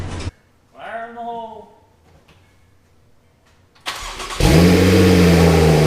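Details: Wrecked Porsche Turbo S being rebuilt with GT2 RS conversion exhaust, first start after both intercoolers installed: cranks, catches and settles into a strong, smooth idle; exhaust sounds clean, not too loud or quiet, no knocks.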